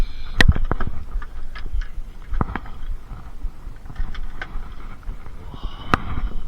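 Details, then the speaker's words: Supercharged Mini Cooper S R52 Sidewalk Edition after earlier misfiring, started with the ignition coils pulled and checked: a low, even idle with only stray clicks and no stumbles; it is not misfiring. One coil was found melted. "Well, definitely not misfiring. Interesting."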